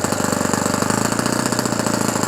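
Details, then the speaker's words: Fully restored OS FS-120 Surpass 20 cc four-stroke glow engine with new ring, 15x8 prop, first start for break-in, main needle at 2 turns and idle needle untouched. A fast, burbling, wet-edged idle, very rich; temperature good. "Un peu de gaz. Et le voilà. Bien gras. Température bonne."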